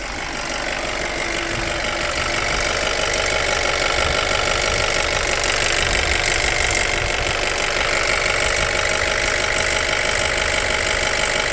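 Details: BMW 116i, N45B16A engine, idling: busy metallic rattle while the intake VANOS is activated by a 30-second software test, dropping away abruptly when the test ends.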